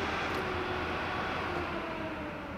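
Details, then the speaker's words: Data-recovery laminar flow bench air-purifying cabinet switched off: steady airy rush with a faint hum fading as the blowers coast down, nothing rubbing; normal fan spin-down. "you hear it go away but that means that the fans are not working and the air is not being purified inside of this cabinet here"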